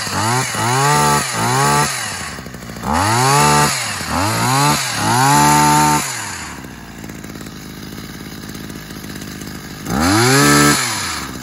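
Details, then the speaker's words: Tanaka hedge trimmer, two-stroke, after a gearbox repair for blades that would not rotate, started on choke with the throttle locked: clean rev bursts, smooth at high speed, returns to a steady idle without hesitation; normal running. "i'll just start off and show you the blades rotating because it's all it's all good now"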